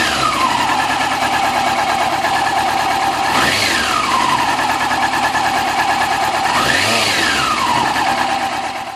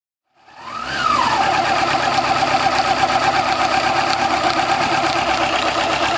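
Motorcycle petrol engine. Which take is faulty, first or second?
second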